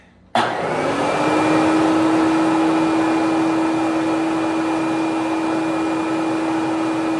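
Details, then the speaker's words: Bissell Big Green Machine carpet cleaner, pump just replaced, cover off, water tank filled: steady motor drone with constant mid tone and no change when spray triggered, no water flow; suspected failed spray solenoid. "Now I'm gonna have to go to the solenoid. That will do it. This tiny little thing here alone will cause a problem."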